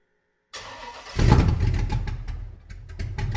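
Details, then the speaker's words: Blazer with a new Summit Stage II truck cam and Holley Terminator X Max standalone EFI: a short crank, then it catches cleanly into a deep, lopey big-cam idle. It runs healthy, idles smoothly and the AFR looks good. "i'm going to go fire it up this thing sounds good i think you guys are going to dig it too"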